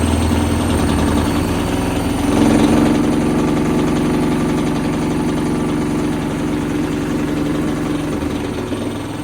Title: Does this knocking sound, sound strange? Is the motor loose again??